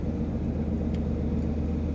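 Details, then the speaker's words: 2006 Honda Civic Hybrid driving about 31 uphill under light load with the electronically controlled EGR valve unplugged: steady, even drone, zero misfires; bad EGR valve had caused misfire and power loss. "as you can see it's all zeros over there no misfire is occurring now and I'm going about 31 - uphill so there is a little bit of a load on the engine"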